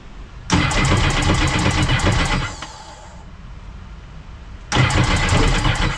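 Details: SeaDoo RXPX race jetski during a Pro Spec build: fuel pressure present but two bursts of fast, even whirring cranking never catch. Old E85 fuel wouldn't start it; the owner plans to use 93 pump gas. Crank no start, cause unconfirmed.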